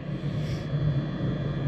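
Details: Truck diesel bunk heater after rebuild (new glow plug, screens, blower motor), heard from outside the truck: steady even low rumble, no sputter or surging, sounding healthy as it should.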